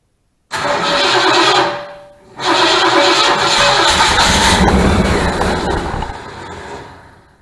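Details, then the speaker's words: 1972 Mustang Mach 1, 400 big block V8, replacement control module and a little gas added: one burst fires and fades, then a second catch roars up and holds several seconds; engine starts and runs. "surprise surprise put a little gas it she did wanted to crank up"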